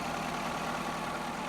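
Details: Ford F-350 6.7 diesel with about 160K miles, new batteries fitted, idling: smooth, even, steady low rumble with no ticking or knocking. Normal, healthy diesel idle.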